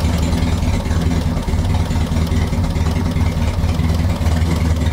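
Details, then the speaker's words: 1960 Mercedes-Benz 190B parked since 1972, on its first test run in 50 years, choke off: steady, even low rumble with no knocks, misses or speed changes; a healthy, smooth idle. "that's unchoked and everything yeah sounds good down there"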